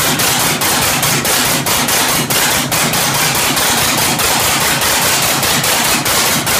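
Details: 1967 Oliver 1750 diesel tractor, first start after the second engine overhaul: loud, sharp, uneven diesel clatter of about two knocks per second, rough running because injection timing was off, later corrected.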